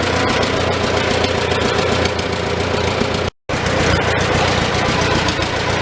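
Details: Old Farmall tractor four-cylinder idling in neutral inside a tight, smoky shed with the muffler cap removed, just after starting on choke; loose but steady loping beat, no loud knock. Normal idle, running not too bad.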